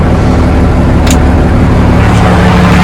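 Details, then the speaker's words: 1987 Ford LN9000 wrecker truck, sat in field about 20 years: catches and settles into steady low rumble with no stumble or knock; starting and running cleanly. "oh see there's a heater fan she running right up though"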